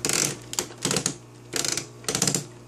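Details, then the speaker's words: Toy robot: bursts of rapid crackling plastic clicks each time the arm is moved, pausing between moves; also crackles when walking; gears in arm slipping, owner suspects wiring needs replacement. "here's a problem when I move its arm you can hear that makes that crack clicking sound and then you hear that one that's a good one"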